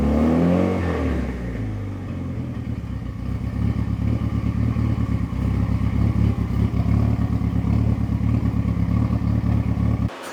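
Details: Fully built Mitsubishi Evo 9 during break-in after first start, warming to operating temperature (185–200°F), held between 2,000 and 3,000 rpm in garage; strong steady note with crackle and backfiring pops, fan whooshing behind, healthy fresh build.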